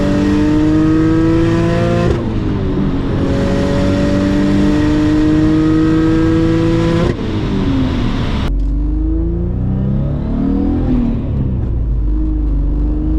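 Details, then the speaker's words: Single-turbo Audi B5 S4 on Haltech, new tune near max on 93 pump gas, full-throttle pulls: engine note climbs hard then wavers unevenly at high RPM as boost tapers; boost oscillation. "it sounds like when the car is like up in the higher end of the RPM, it sounds like the boost is like tapering, and it's basically some boost oscillation which is going on."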